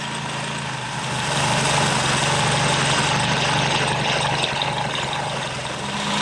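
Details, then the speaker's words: 1969 Triumph Spitfire Mk3 with freshly rebuilt engine, first start after refit: idling with a light, quick ticking puff on the exhaust note, suspected small exhaust leak. "All right. So, I think we got a little bit of an exhaust leak."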